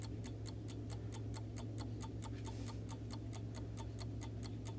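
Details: Vintage Coca-Cola electric rewind clock, reassembled in its case after replacing the rewind motor: crisp, even ticks about four per second over a low steady hum, no skips or drag; movement running healthy.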